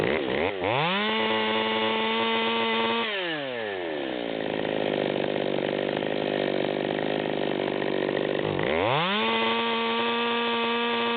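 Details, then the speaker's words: Stihl MS200T chainsaw with 25-inch bar, high-speed needle backed out to the stop, revved twice to no-load high idle: scream carrying a blubbering four-stroke burble; rich mixture. "and we can still hear it blubbering at high idle we picked up a few more rpms"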